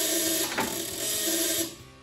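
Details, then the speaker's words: Oliver 550 tractor, positive ground, on an old battery trickle-charged for weeks: the starter gives a strained whir under two seconds and fades without turning the engine over; owner suspects the battery lacks the amps. "i do not think that battery it doesn't sound like that battery has the amps for it not a big surprise that battery is supposedly many many many years old"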